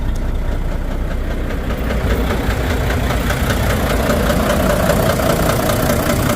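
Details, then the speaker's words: Volvo VNL D13 diesel with misfire, low power and unstable running: loud idle with uneven knock about 2.5 per second; sound stopped when one non-contributing injector was cut, suspected broken injector. "I started to find out that there was a specific injector that was not running, was not contributing with the engine, and whenever we were cutting the injector, the sound was stopping."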